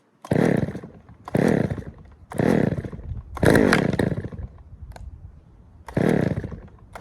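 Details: Poulan 3000 chainsaw after service (fresh fuel, air filter cleaned), previously reported not starting: short rev bursts about once a second, picking up cleanly and settling to idle; runs evenly, no issue.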